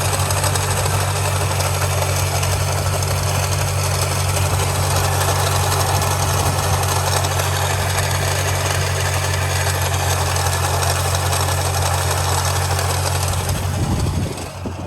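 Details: Nissan 370Z petrol engine idling with a steady low hum and a loose, irregular rattle; AC stopped working, and a shorter belt seems to turn slowly compared to the main belt; cause suspected, not confirmed.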